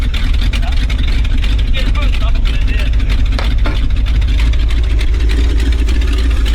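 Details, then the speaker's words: 1970s Ford dentside ramp truck revived after about 10 years with a Chevy HEI ignition module rigged in: deep steady V8 rumble with an even beat, no misses, pops or knocks; running properly. "She's running though, the old cunt. It just took a little bit of Chevy to get her going."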